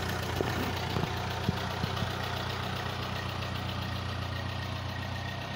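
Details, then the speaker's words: Ferguson TE20 tractor with a fresh tune-up and timing set, pulling away on a test drive: steady, even low drone from idle to moving off, no exhaust popping or misses. A healthy, well-tuned engine. "ladies and gentlemen that is exactly the way a ferguson tractor is supposed to sound with a fresh tune-up on it and fresh timing set"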